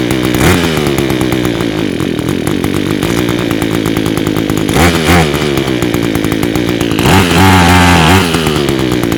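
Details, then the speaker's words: Echo two-stroke with Zama carburetor, first start after repair, on choke: a high buzz runs steadily, pitch rising and falling briefly as idle and jet are adjusted, holding speed without dying. "All right. Nice, nice, nice. Let's uh turn up the idle a little bit."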